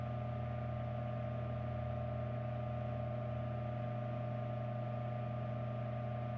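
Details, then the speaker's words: 1940s ILG Model 103 self-cooled ventilating fan, motor model 547, 115V, 0.55A, 0.014 hp, rated 1550 rpm, 9.5-inch type Q blade, running: steady low hum with a smooth, even drone, no knocks or rattles. "we're going to start this fan up and hear it hear it's a startup sound and hear it run"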